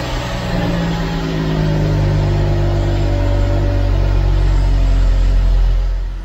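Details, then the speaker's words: 1974 Jaguar XJ12 carbureted V12, cold on choke after sitting six years, exhaust recently reconnected: quick puffing tick over low rumble from an exhaust leak on this side, another leak on the other side too; exhaust needs going through. "can hear an exhaust leak down here as well on this side maybe there's one on the other as well so I will need to go through the exhaust on this thing"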